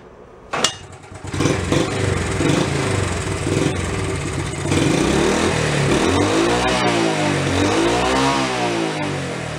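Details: Nearly 50-year-old Honda Trail 70 after new points, valve and timing chain adjustment, camshaft and flywheel repair: starts, revs rise and fall smoothly and evenly with no misses; slightly smoky, timing chain clacking noted; normal revving.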